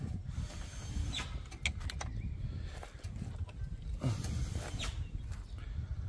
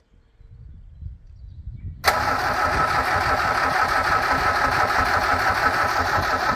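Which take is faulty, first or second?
first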